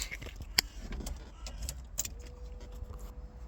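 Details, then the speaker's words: VW Polo 6N with AFH engine conversion, wiring loom stripped down to two wires that make the car work: a few clicks and key rattles, then a faint steady hum at key-on as the fuel pump primes normally. "you can hear the fuel pump priming."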